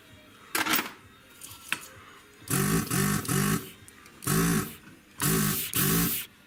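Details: Lead-free desoldering gun used during Mesa Boogie Caliber 50+ amp repair: short half-second buzzing pump bursts with strong clean suction pulses after clearing a blockage — normal vacuum pump operation.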